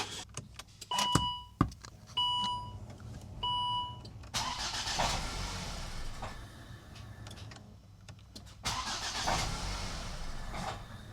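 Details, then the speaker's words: Volvo V70 T5, 20 A fuel pump fuse pulled: a few chimes, then short cranking bursts that splutter and die without catching; fuel supply cut, engine turns but won't fire. "As you heard, it was just spluttering then, so fuel supply is now being cut."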